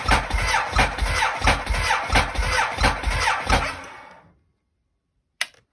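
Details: Ducati Monster motorcycle failing to start: starter cranks at a steady rhythm about one and a half beats a second for four seconds but the engine never catches; crank, no start.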